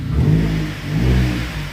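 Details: Rebuilt Vauxhall Astra VXR first start after rebuild: deep smooth engine rising and falling with throttle blips, even and strong, no knocks or rattles; tiny drip noted, possibly baffled sump; normal revving.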